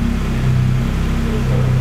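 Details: Lada Granta Sport freshly rebuilt engine at idle: steady, even low hum with no knocks, ticks or rattles; runs smoothly and sounds healthy.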